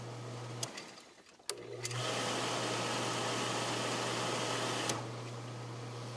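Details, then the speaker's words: Hot tub with newly installed retrofit control pack, blue wire moved, water at 62 degrees: low steady hum then a smooth even rush for about three seconds with no rattle or grind; pump runs cleanly. "so now when we fire it up the pump should run"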